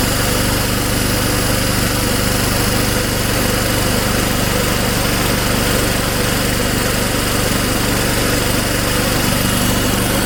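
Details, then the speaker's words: Old Snapper mower rescued from the trash, running after the carburetor diaphragm was reinstalled, on fresh gas with the throttle at start. The small single-cylinder engine runs at a steady, even speed with no misses or knocks. Sounds healthy. "go ahead and put the throttle on start and give it a pull probably take a few pulls to get some gas up into the carburetor but we'll see"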